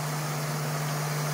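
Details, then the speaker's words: 24-volt high-head-pressure PC watercooling pump turned up to full speed while bleeding the loop after re-routing: loud steady whirr with a hum underneath as it churns air bubbles through the reservoir; air in cooling loop. "ou can hear the sound of my pump with bubbles in it."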